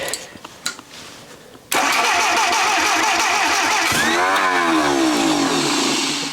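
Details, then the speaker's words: Junkyard Willys engine with a repaired head, on a jump pack with extra fuel added: a steady cranking whir, a few uneven catches and a brief pitch sweep that dies back; it fires occasionally but never runs; timing suspected way off. "okay it's doing something all right so my guess is the timing is way off among other things"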